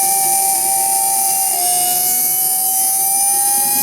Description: This electric motor sounds terrible because its bearings are worn out.